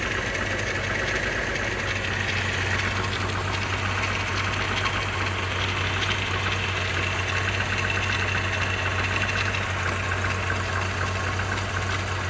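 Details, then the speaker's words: VR6 12v first start after oil cooler, crack pipe, thermostat, valve cover gasket, radiator and intake gasket work: rough, lumpy, irregular idle from misfire. Coil pack wires for cylinders 1, 3 and 5 were in the wrong positions; once fixed, it idled fine. "No leaks from the hoses. Sounds like it's misfiring. Nothing dripping."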